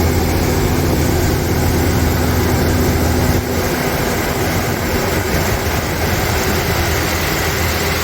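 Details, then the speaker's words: 1992 Toyota pickup with a rebuilt 3VZ-E V6 on break-in oil, on its first startup after the rebuild. A steady, even low throb with no knocks, ticks or misses; runs smooth and healthy. "here's the first startup on this rebuilt motor for this Toyota pickup"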